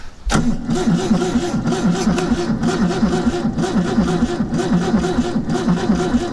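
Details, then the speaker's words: Old carbureted vehicle picked up in Tennessee cranking at about one beat per second but never catching; owners suspect the carburetor is flooding with a gunked-up float bowl, fuel unregulated. "We just can't regulate the fuel. Because the carburetor is flooding, the flow bowl is probably gunked up."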